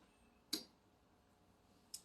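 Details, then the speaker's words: 2005 1500 truck after P0481 cooling fan repair, fan relays 2 and 3 commanded via scan tool: two sharp isolated clicks about 1.5 s apart as relays switch on and off; normal relay operation. "when I turn it on we should hear the relays click and there's it on we'll shut it back off we'll hear a click"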